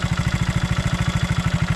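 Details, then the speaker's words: 1975 Honda CB125S barn-find motorcycle showing 1161 miles, which doesn't smoke, just after its high idle was adjusted down. It gives a steady, even low thump with no misses or rattles, a normal single-cylinder idle that sounds a lot better. "there we go that's more like it there we go how's that sound that sounds a lot better"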